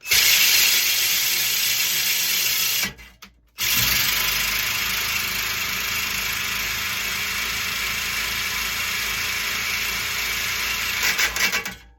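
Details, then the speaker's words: Push reel mower during sharpening: harsh gritty scraping with rapid uneven catches, about three a second, as the reel drags on the bed knife while lapping with compound. "obviously we could hear it you don't hear it catching or grinding anymore we've taken off"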